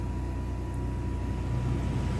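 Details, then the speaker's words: Freelander RV roof air-conditioner blower switched on as stage one of a staggered start, before the compressor: steady, even low hum with a faint constant tone and no knocks or rubbing; normal blower running. "and that starts the blower. So now we're circulating air."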